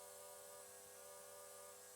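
Quiet, steady high-pitched whir with no surging or rattle; the electric fuel pump is running normally and holding pressure.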